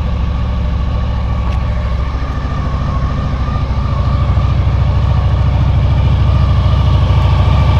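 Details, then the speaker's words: 2000 Honda VFR800 V4, injected and restricted, first start after 6 months standing on old fuel. Low, limping idle of about 160 pulses a minute on three cylinders. One cylinder is dead with a cold exhaust pipe. "В общем, один цилиндр не работает совсем. Труба абсолютно холодная."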